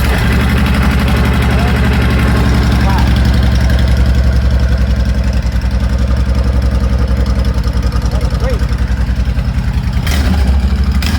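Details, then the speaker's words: Honda Fury 1300 V-twin motorcycle, first start after DIY fuel pump replacement without priming: cranks right up and settles into an even, lumpy idle with steady low thumps, no misses or knocks; runs normally. "Surprising, because I figured I had to prime and all that, but just cranked right up."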